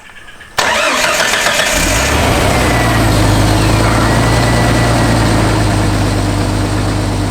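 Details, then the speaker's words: 1991 Jeep Wrangler YJ six-cylinder that sat several years, after new fuel, new fuel pressure regulator and all injectors replaced; short crank then steady even idle on all six cylinders, no stumble. Normal start and idle. "Okay so as you can hear major Improvement it's running on all six now all six cylinders and uh pretty steady"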